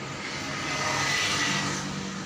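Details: Old carbureted Honda Supra Fit after service fixing sudden stalling while riding, spark plug burn now good and new plug to be fitted: a steady, even hum with no stumbles or surges; running smoothly and healthy.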